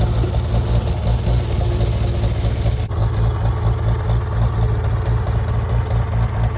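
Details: Farmall tractor (1949 H or 1968 656, unclear which), troubled by fuel problems and cutting out; carburetor adjusted after it hadn't run over 30 seconds, coolant was 2.5 gallons low. Steady, even low drone with no misses or knocks; normal running.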